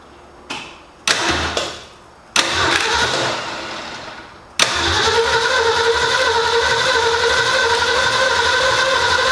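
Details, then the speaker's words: 1965 Ford Mustang, GT40 engine and rebuilt Toploader transmission, first start attempt: short starter bursts then long cranking that never catches; timing off because distributor hooked up backwards. "i think we may have messed up the time we'll check the plug wires make sure they're in the right spot"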